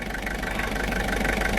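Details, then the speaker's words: Diesel engine starting on a portable jump-starter pack after the glow plugs were cycled, then settling into a healthy idle: even diesel clatter with a steady low rumble, no misses or odd knocks; "little diesel purr". "yeah hear that little diesel purr"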